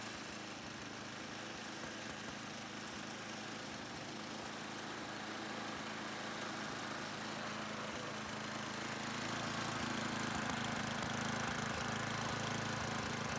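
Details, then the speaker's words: 2005 Ariens Sno-Thro 926101 snow blower test run after traction belt replacement, on gas probably a year and a half old: small single-cylinder runs steady fast patter, about four beats a second, smooth, no hunting or misses. "I put some gas that was probably a year and a half old, but it starts right up."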